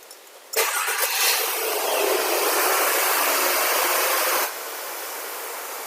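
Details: Mercedes C230 W203 petrol engine after fixing a P0300 random misfire that caused shaking: catches quickly, flares briefly, then settles to a steady, even idle with no faults remaining.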